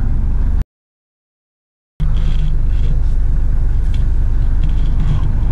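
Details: SsangYong Rexton, fairly new, driving after fixing winter interior rattles from loose wiring slapping a cover and missing clips, wrapped with bubble wrap: steady low road and engine rumble with no dashboard ticking or rattling.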